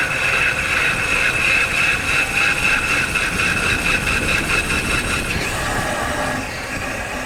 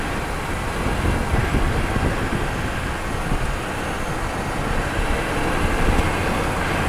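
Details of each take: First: Car driven with a microphone installed, braking: harsh metallic scraping with a pulsing high rasp over road rumble. The brake pads are worn out and grinding the disc, which has probably been damaged. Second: Microphone mounted near the wheel while driving and braking, final test after repairing the wheel noise when braking: only tyre rumble and road noise, no squeal or scraping; brakes now quiet.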